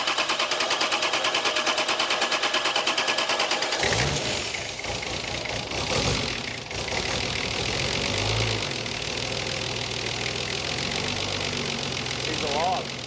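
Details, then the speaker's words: Nissan Patrol TD42 diesel, sat years without oil, run on jerry can diesel and jump pack; about four seconds of rhythmic cranking, then fires and holds rough but steady idle; engine starts and runs. "So as we all know, she runs, which is a good sign."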